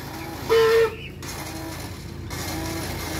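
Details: Kawasaki Fury 125 with a weak battery and suspected faulty starter (no push-start): a short high-pitched whine from the starter spinning freely with no cranking beat points to a slipping starter clutch.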